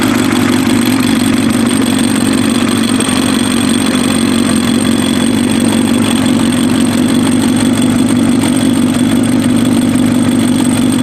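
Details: Warm Kawasaki ZX7R race bike on FCR41 flatslide carbs, synced, with fuel screws leaned to 1 turn out; steady, even four-cylinder idle with no misses, pops or hunting. Cylinders 2 and 3 sync slightly off; normal idle.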